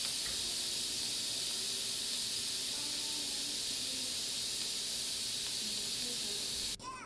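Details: Instant Pot pressure cooker after cooking chicken fettuccine sauce about 13 minutes on manual: steady loud hiss of escaping steam that holds even, then cuts off sharply; normal pressure release through the vent.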